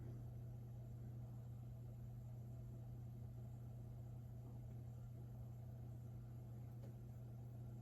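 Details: Old Burnham gas-fired boiler after repair and reconnecting the thermostat wiring, running about 76% efficient: steady, even low hum with no knocks, surging or rattles; normal burner operation.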